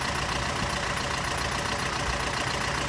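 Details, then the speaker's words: Nissan Frontier YD25 diesel converted to a mechanical injection pump, idling with hood open: lumpy, shaky beat about four pulses a second, engine shakes; mechanic says injectors were not serviced so the problem isn't solved. "ลองในภาพสังเกตเห็นไหมครับรถเครื่องยนต์เดินไม่นิ่งนะให้เราจะเปรียบเทียบกันอย่างนี้ให้เห็นนะขอสังเกตนะครับเครื่องยนต์สั่น"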